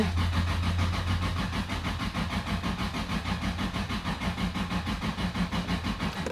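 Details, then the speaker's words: Toyota Supra single-turbo build, first start attempt after the rebuild: starter cranks at a steady three beats a second but never fires; crank no start. "well found why the car wasn't starting I completely disconnected the uh intake air temperature sensor"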